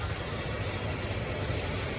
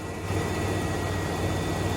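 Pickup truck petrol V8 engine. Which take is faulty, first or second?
first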